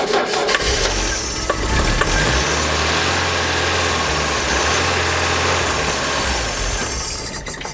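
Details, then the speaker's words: 1982 Renault Fuego, stored unused for years, cranked with starting fluid sprayed in; catches and runs rough for a few seconds before dying; compression and spark good, lacking fuel; no-start from lack of fuel. "phase one was cranking does it crank does it sound like it's going to want to start even if we try other methods that was a yes phase two is if we Supply fuel will it start yes"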